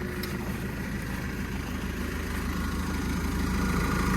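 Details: Develon DD130-7 dozer diesel during an engine oil change service, started just after bleeding the fuel: steady, even ticking idle at about 200 beats a minute with no knocks or misses; healthy.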